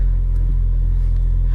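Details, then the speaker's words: 2003 Mini Cooper S R53 idling after jump-pack start following fuel pump and fuel filter replacement; low, steady, even rumble, no stumbles or misses. Running smoothly; owner notes it had a misfire before. "and he running [Music] smoothly I had a misfire before"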